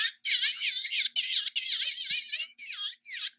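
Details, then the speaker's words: MelodySusie cordless nail drill: a thin, shrill squeal comes in short, repeated bursts and persists even after the speed is turned down. "I could tell that my nail likes that RPM better but it still makes that noise you hear this noise"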